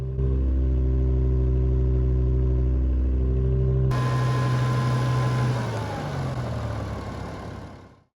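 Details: BMW M5 V10 after rod bearing service, fuel filter replacement and repeated VANOS bleeds: smooth, even idle with steady low hum, no misses or ticks, then shuts down; engine sounds healthy.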